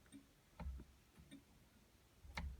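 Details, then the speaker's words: 1960 Mercedes-Benz 180db that sat in a garage for 30 years, indicators tested in a quiet cabin: soft, fairly even flasher ticks about once a second; the indicator works, but its small red dash warning light does not come on. "try the indicators. Indicator works, but the light for the indicator, which should come on over here, a little red light, does not."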